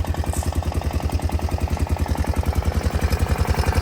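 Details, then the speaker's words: Honda Foreman 500 ATV single-cylinder engine idling after valve adjustment and cover replacement: an even, deep thump, about 3.5 beats a second, ticking much less than before; the owner suspects slight piston slap. "Moment of truth. Doesn't tick as bad as it did last time."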